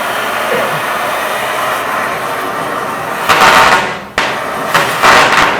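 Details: Powercraft Innova flashback-free cutting attachment with a Harris-type tip on a neutral flame: a steady hiss broken by loud bursts and a sharp pop as the tip touches the metal. The torch recovers without flashback.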